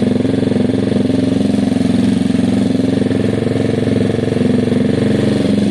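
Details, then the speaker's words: Gilera DNA 125 scooter, warm, after a carb upgrade and idle tuning: a steady, even putter with a smooth low drone and no misses or hunting; the bike idles cleanly and sounds very happy. "that's it guys the bike's very happy very very happy now"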